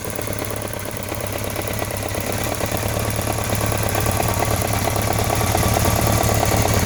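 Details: BMW K1200RS motorcycle at idle: light steady ticking, about three or four ticks a second. The owner cannot tell whether it is the throttle body, cam chain or valves and leans toward the throttle body. Cause not confirmed.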